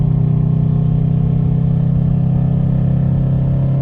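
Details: 2015 Subaru STI, turbo boxer, stage 2 tune, catless downpipe, ported manifold, Rotella T6 5w40: steady lumpy running with a faint fast rattle, started after an oil change ~2k miles ago; cause unknown.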